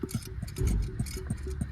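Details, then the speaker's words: Old Cummins ISX air compressor, removed, rotated by hand: slow irregular clunks with loose knocking play in the crank; rod or wrist pin bearing suspected trashed, unlike the tight, quiet replacement unit. "I think that bearing in there, either the rod bearing or the wrist pin bearing, is just totally trashed."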